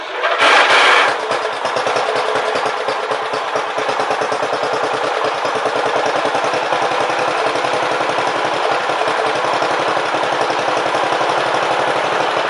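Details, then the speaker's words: Briggs & Stratton Power Built 12.5 HP flathead Model 28 mower engine, first start after rebuild, carb set 1.5 turns out: runs with a quick uneven beat after a loud burst, and quits when given throttle; blamed on an old, non-original carburetor. "you heard it quit a couple times when I try to give a little gas that's in the carburetor that's an old carburetor I've got it's not the original carburetor off the engine"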